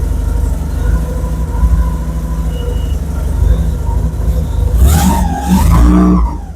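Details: Porsche 944 stolen and left a year in the woods, first start after reconnecting the engine signal wire to restore injector pulse: catches and runs steadily with a low, even exhaust note, then blips through quick revs; healthy.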